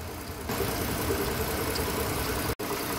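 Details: Mercedes-Benz SUV that had codes P0300, P2090 and P0353, idling: a steady, even idle rumble with no stumbles or skipped beats.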